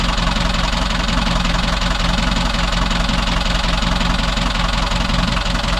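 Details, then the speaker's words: Boat diesel engine after a month of repairs following heavy smoke on startup; even diesel clatter at idle with a steady low thrum, the old constant rattle in neutral now gone; smooth, healthy idle. "Ooh, sounds good. That's the best it sounds since I owned it. There used to be this rattle all the time in neutral, and it's gone."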